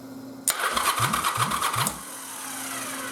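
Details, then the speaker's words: Yamaha Virago 920 engine with xv1000 starter case fitted with 2nd-gen xv1100 Bendix gear and barrel, oiled, ignition off, cranking: even whir, about three compression pulses a second, no grinding; gear bobs under an eighth inch, less than with the 1000 set. "Yeah. So, actually it still bobs just a little, but it's just a little tiny bit. I mean, it's less than an eighth of an inch."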